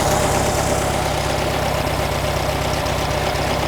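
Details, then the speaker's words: 1957 VW Beetle air-cooled engine at idle around 950 rpm; steady low pulse that rises when the carburetor throttle shaft is sprayed, intake showing little change; throttle shaft vacuum leak. "Well, you can't see. Throttle shaft is leaking. You hear it rise."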